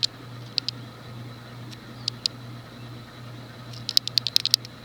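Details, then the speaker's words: Universal (SMC) Laguna 36" ceiling fan, model KB-36, made April 1989, thinner residential motor, at low speed: sharp irregular little ticks over low steady hum; worn bearing noise, bearings may be replaced. "Hear that bearing noise. Delightful."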